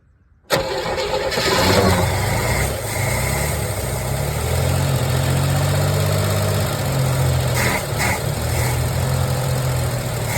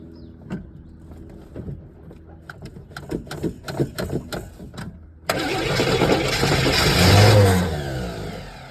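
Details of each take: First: 1981 Chevrolet Camaro, 3.8 L V6, sitting since 1989, carburetor bowl filled by hand; cranks, fires within half a second and settles into a steady, even idle with a smooth low rumble, little smoke, running decently. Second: 1981 Chevrolet Camaro 3.8 litre V6, sitting since 1989, first start attempt with choke left to work and fuel poured in the bowl; about five seconds of uneven cranking, then it catches and revs up rough.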